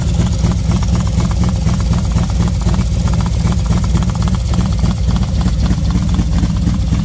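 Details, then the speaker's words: V-twin motorcycle with SS540 cam and valve springs, idling about 10 minutes warming up at 40°F outside: even loping idle with soft intake hiss, no ticking or knocking; healthy. "it's 40 degrees outside warming up it's sounding pretty good it sounds mean you probably can't even understand it through the phone"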